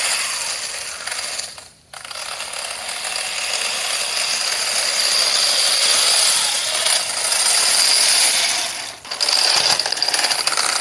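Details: 3D-printed RC tank with brushed 540 45-turn motors and 60A ESCs: rapid rough ratcheting clatter over high motor whine with brief dropouts; tracks skipping, need tightening.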